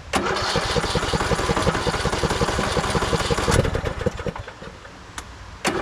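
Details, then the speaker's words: 2014 Craftsman T1600 lawn tractor, dirty fuel filter, battery doubtful: starter cranks in fast rhythmic chugs for three seconds without catching, pauses, cranks again; hard start, owner suspects a dirty carb or battery, not confirmed. "I know you're all worried about the starter. It's gonna be fine. I'm more worried about batteries. Doesn't sound like a clean carb, does it?"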